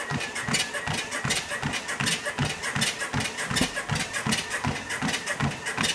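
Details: Sole F63 treadmill, about a year old, running at speed 5: sharp squeak with every footfall from somewhere in the frame; lubricating the lowering arm helped only briefly, grease and tape didn't; no cracks found; cause unclear.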